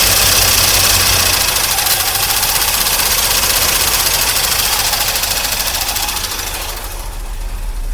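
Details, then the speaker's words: 1982 Corvette, restarted after a decade outdoors and a fuel system overhaul, idle just started: quick fairly regular ticking of about four per second over a busy idle, throttle bodies popping; throttle body ticking. "You can hear those throttle bodies popping. Tick, tick, tick, tick, tick."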